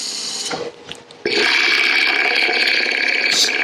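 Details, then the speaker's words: Wood lathe turning a 4x4x4 inch lidded-box blank, gouge cut with rapid uneven tapping, about three per second, under the hiss while the blank is still out of round; tapping stops once it turns true. "so you can hear the when tapping when it's not quite round when it's not quite true yet you'll hear it tapping so i like that's a technique i like to use it's easier than having to stop and start all the time"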